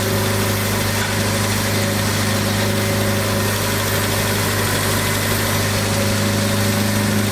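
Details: Abandoned 1979 Triumph Spitfire, revived with fuel system hooked up: a steady, even idle with a smooth low hum and no knocks or misses, running like a kitten. Sounds warmed up and healthy. Clutch and brakes not yet working.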